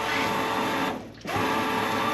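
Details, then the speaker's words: Old 155lph fuel pump from a 347ci Foxbody Mustang, powered to drain the tank before upgrade: steady, even electric hum and whine with a brief dip as it starts pumping; sounds quieter, pump works normally. "we got float sounds a lot quieter right if anybody wants to buy 155 liter per hour fuel pump it works"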